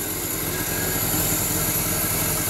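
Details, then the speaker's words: Small-block Chevy V8 first start after work, cold day, low idle with a sharp, raspy puffing tick following the firing pulses; exhaust leak. "sounds really good got an exhaust flake"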